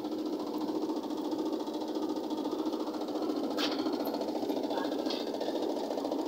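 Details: Automatic washing machine during spin after rinse: steady spin hum with a loose, uneven knock about twice a second; technician says a part is not yet fitted, causing the noise. Knocking during spin from unfitted part.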